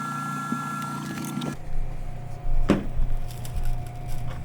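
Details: Tevo Tornado 3D printer rebuilt with MKS-Robin board, TFT screen and TMC2209 drivers: steady low hum from the fan underneath dominates, faint smooth whine of axes moving early on; quiet, even stepper motion, nothing rough.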